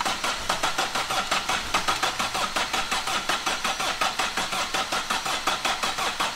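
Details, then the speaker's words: Astra van diesel, freezing cold, first start attempt after battery and coolant fitted: rough uneven chuffing around eighty a minute, never settles to idle; starts but won't stay running or rev, battery tested only 11 volts. "so after about four hours of messing on we think we've actually found why it won't start and stay running obviously a run can over but it's not uh revving up"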